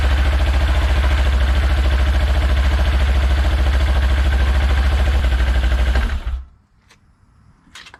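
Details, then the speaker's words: Segway Villain CVT clutch, cover off, engine started in neutral: it pounds along at a fast steady beat with a harsh high screech until shutdown. The clutch screams in neutral, cause unknown. "Now what I want to do is, while I got it off, is I want to see why it's screaming when I start it and it's in neutral."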